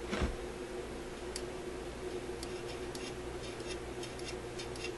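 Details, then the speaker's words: Electrohome AM clock radio at power-up: a quiet hiss broken by sharp, irregular crackles and pops at random intervals, as the tuning capacitor plates short intermittently where they mesh out of view. "you hear that you must be able to hear it I mean something is really crashing"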